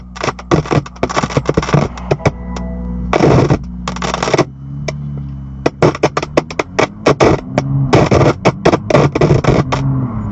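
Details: 2018 BMW M2, recorded April 22, 2019: music from the car speakers keeps breaking into loud irregular sharp pops, crackles and screeching bursts; speaker/audio crackling, cause unknown.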